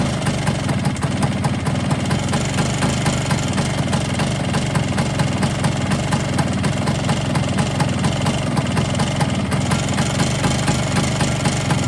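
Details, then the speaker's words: Vespa with a Polini 177 kit on fresh piston rings, previously seized, cold: fast metallic rattle over a busy two-stroke idle, steady and even; top-end rattle persists, cause unknown. "But she broke. I've still got that top end rattle."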